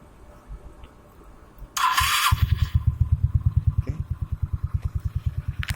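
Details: 17-year-old Suzuki Spin 125 fitted with an RX King carburetor, needle set to middle position, after tuning: cranks, catches and settles into an even putter of about three firing pulses a second; healthy idle.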